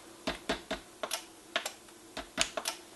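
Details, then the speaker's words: NuTone IMA4406 intercom master station after servicing, relays previously clicking oddly several times: now one sharp, clean click on button press and one on release, no chatter; normal relay clicking. "So now if you listen, one click when I push, one click when I release. And same thing on Inside Patio Talk. So that works correctly."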